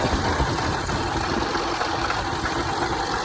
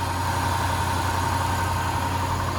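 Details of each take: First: Land Rover/Range Rover 5.0 or 5.0 supercharged V8, 2009, at idle: busy, clattery idle with a loose metallic rattle from worn timing chains and slapping guides, bad enough to set a cam position code; timing chain rattle. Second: Land Rover 5.0 or 5.0 supercharged V8 after a timing chain and guide check with a healthy, taut tensioner: quick cold start, then a smooth, steady idle with only light, even valve-train and injector tick, no chain slap, hiss or rattle; normal idle.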